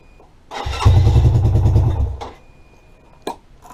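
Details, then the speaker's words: 2017 Lexmoto Adrenaline fuel-injected single-cylinder after a crash, new fuel pump and lambda sensor, clearances set, good spark, fresh fuel: chuffs about three and a half beats a second for barely two seconds then dies; hard starting, won't hold idle. "it's a 27 teen fuel injection version and it's having real starting and idling issues after a crash"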